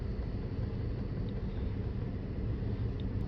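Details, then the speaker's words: 2012 Dodge Charger 3.6 V6 idling with a slightly uneven rumble: scanner shows cylinder 2 (bank two) misfire count rising after coils, plugs and pigtail were already replaced; cause found to be a burned intake valve. "as you can see cylinder 2 has some misfires the count is going up"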